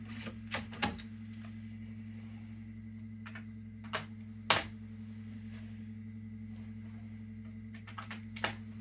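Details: 3.5-inch floppy drive in an 80s–90s MS-DOS PC reading a disk: low steady motor hum with scattered sharp seek ticks, drive working normally, though the fan is suspected to be going bad.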